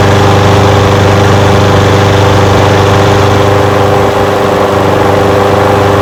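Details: Old curbside Craftsman push mower with a Briggs engine, first run after revival: loud, steady, even chug holding the same speed with no surging or dropouts. It smokes a little. Windy outdoors. Normal idle.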